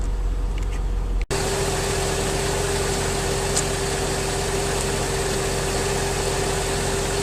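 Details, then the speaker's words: 2003 Mercedes S55 AMG, about 186,700 miles, after Active Body Control/power steering hydraulic pulsation damper replacement: steady idle with smooth constant pump hum, much quieter, less hydraulic whine, no surging or gurgling; normal idle. "my car is much quieter it was about new pulsation damper there's less hydraulic winding sound"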